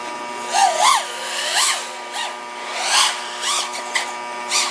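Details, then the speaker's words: OxFPV Acrolite 230 quad with T-Motor F40II Pro motors and Betaflight 35A ESCs, in flight during PID tuning after raising P gains on a cold day: crisp, sharp motor whine snapping cleanly with throttle punches, normal well-tuned motors. "that's what I like you can hopefully hear it it just sounds nice and sharp"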